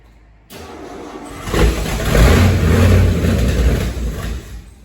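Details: 1969 Ford XL GT convertible, factory 429 V8, 4-speed, first start with accelerator unhooked and throttle worked by hand: big V8 revs up unevenly with deep burble and stumble, oily plugs, not yet on all eight, pebbles blown from exhaust.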